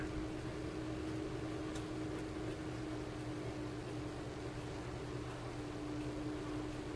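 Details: Cooling fan in a 12 V 30 A DC power supply whose stock fan was very loud: a smooth, even whoosh with a steady low hum and no rattle or bearing noise; the fan sounds quiet and healthy.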